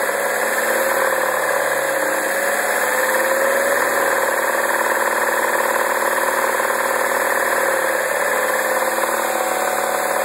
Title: 2009 MINI Cooper Non S rattle noise